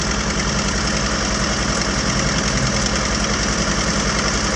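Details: 1981 Toyota Tercel, just jump-started from a dead battery: steady idle with an even low thrum and a faint tappety patter on top, nothing irregular; running normally.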